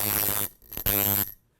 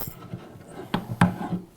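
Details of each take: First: Coil tattoo machine on 6 volts after angle and contact gap adjustment: two short runs of deep even buzz, steady slow beat, no rattle; tuned as a slow, slappy shader; less spring tension would hit harder. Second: Coil tattoo machine shader being retuned, front spring O-ring removed, speed dropped from 130 to 114 cycles per second: steady low buzz, but springs remain too stiff, creating resistance that needs more voltage.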